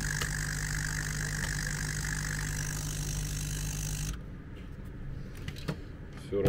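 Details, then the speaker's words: MET AIR T-100 anti-bedsore mattress compressor that wouldn't switch on: the fuse was intact, but an internal contact had fallen out. With the contact clipped back and the unit tested through a bulb, it gives a steady motor hum with a light airy hiss, running normally. "Теперь пробуем опять включать через лампочку. Все заработало."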